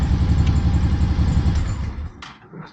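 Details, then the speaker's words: Honda PC800 after carburetor cleaning and refitting the air cleaner, idle brought down, carbs not yet balanced: low, even, steady idle pulses, smooth and settled, best it has run; normal idle. "start it up, bring the idle down a little bit. That's it. She's running great. This is the best it's ran since I've had it"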